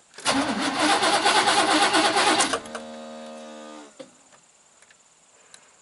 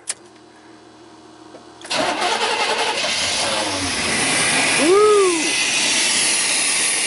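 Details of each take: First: 1988 Chevy truck, 5.0 V8, 104,000 miles, died on the road. Two seconds of steady cranking with no firing, then spin-down whine. Spark tester at the coil shows no spark; crank no-start, no spark. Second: 1988 Chevy pickup 5.0 V8, 104,000 miles, which died on the road and would not start, fired after connectors were reconnected and a jump pack was added: quiet at first, it catches about two seconds in and settles into a steady, even run.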